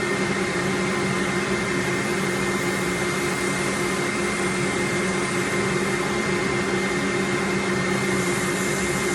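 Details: Workshop dust extractor switched on during sanding while turning an elm bowl: steady, loud rushing roar with an even hum and faint high whine, constant throughout; extractor running smoothly.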